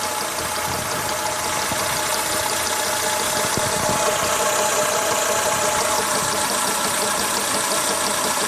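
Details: Renault Logan engine knocking at steady idle: a light, fairly regular knock about three per second from the timing belt slapping; the belt was found defective and had to be replaced.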